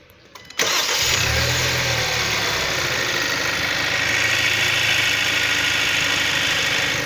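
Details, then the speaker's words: Kia Sorento 2.0 T-GDI after repair for a connecting-rod knock, started and idling: smooth, even, no knocking, ticking or other noises. It runs healthy. "мотор работает ровно никаких посторонних шумов дай оборотов"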